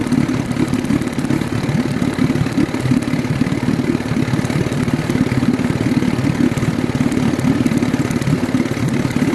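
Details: Outboard engine running unevenly, with irregular stumbles and missed beats through the drone: an ignition misfire traced to spark tracking.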